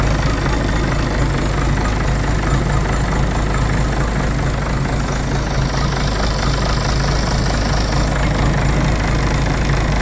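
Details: Citroën C5 2.0 HDi 180 diesel at idle: loud, rough clatter with a deep uneven thumping about twice a second. Abnormal engine sound whose cause is unknown; the owner is asking for help.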